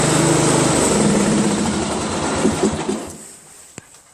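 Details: Craftsman LT1000 lawn tractor (1996, 15.5 hp Briggs overhead-valve engine), finished after a new drive belt, deck refit and greased spindles; steady, even buzz before it fades off, no knocks or misses; normal running.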